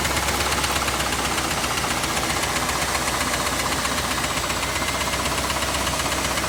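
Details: Chevrolet Camaro IROC engine running loud, mic moved around the engine bay: fast steady clacking tick about four per second beneath the ticking; internal knock, source unclear; glittery oil previously seen.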